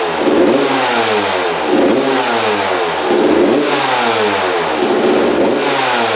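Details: Freshly rebuilt 1993/94 Suzuki RM125 two-stroke after carb returned to stock (55 pilot jet, needle clip secured, air screw 1.5 turns out): crisp revs rising and falling cleanly through throttle blips, no stumble; now idles and runs healthy.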